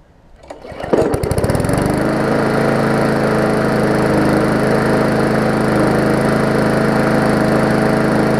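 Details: Murray 3.5hp Classic push mower after extensive service, restart test: catches after a couple of pulls and settles into smooth, even, steady run with no misses or surging; earlier smoke was only oil in the muffler; healthy.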